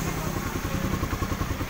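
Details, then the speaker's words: Honda CB150R after manually cleaning the clogged injector that caused no-start and 12-blink MIL; quick, even single-cylinder putter at idle, steady beat with no stumbling or misfires; normal idle, problem fixed. "Baiklah, itu saja dari Imam Yazid, kasusnya adalah injektor yang tersumbat dan berhasil diatasi ."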